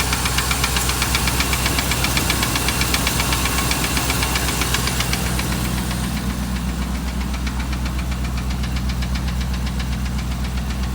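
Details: 2008 Dodge Ram 1500 5.7 Hemi at idle: steady, sharp knock about four per second clearly standing out; deep engine knock of unknown source, five mechanics couldn't identify it, told it needs a new engine.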